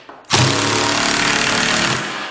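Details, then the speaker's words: Ridgid impact driver driving a screw: brief motor whine then rapid steady hammering chatter under two seconds; impact mechanism working normally, unlike a drill's constant motor. "And you're going to hear the difference. You're going to hear it whine, and then it's going to go kick."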